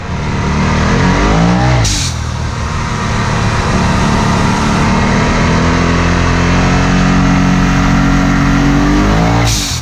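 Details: Vivid Racing blow-off valve, replacing the cracked plastic factory BOV on the charge pipe, on a road drive. The engine pulls hard under boost with a sharp, loud whoosh each time the throttle lifts; normal venting.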